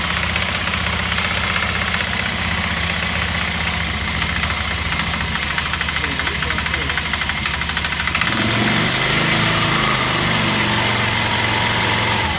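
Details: Car with a knock the owner suspects is the clutch and that jerks: irregular knocking at about three per second over a rough idle, heavier after a blip; source unconfirmed.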